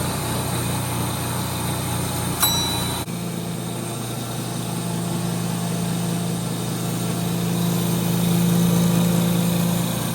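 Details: 1930 Gilbert and Barker model 106 clock-face gas pump, after a WD-40 restoration, switched on and primed: steady low motor hum holding even throughout with a faint regular pulse, no knocking; motor super smooth, normal pump running.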